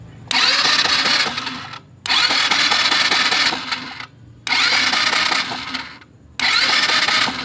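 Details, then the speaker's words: Rusi Passion scooter that won't start, electric starter cranked with the high-tension wire grounded to test for spark: four bursts of steady whirring under two seconds each, no firing; no spark output, CDI suspected. "wala So ibig sabihin wala walang kuryenteng ah lumalabas sa high tension wire"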